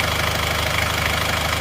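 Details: 1990 Chevrolet Trooper diesel, 34 years old and never overhauled until now, after the engine rebuild and a new thermostat replacing a stuck one; warm at 75°C with no smoke, it settles into an even, quick, crisp-clattering idle with no misses, knocks or hunting.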